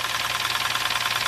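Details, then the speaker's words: Lexus towed in with engine knocking badly and check engine light: fast, even knocking at idle, about a dozen beats a second, seemingly from one side; blown head gasket with overheating, later fixed by replacing it. "he came back on the tow truck with his engine knocking engine was knocking like crazy"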